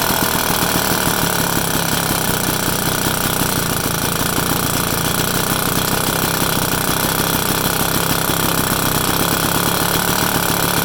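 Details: 1966 Vespa SS180 engine on a stand, first start after rebuild: fast, even two-stroke buzz holding steady with no misses, knocks or rattles; engine runs healthy.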